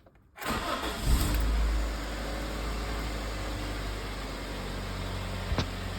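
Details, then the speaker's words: Toyota Corolla that had not run in about 2 months after blown fuses: brief crank catches quickly, then settles into a steady, even idle with no misses or knocks; normal start and idle. "So, it runs. The Corolla fixed itself, which all good Corolla should. So, yeah, finally this car is back up and running."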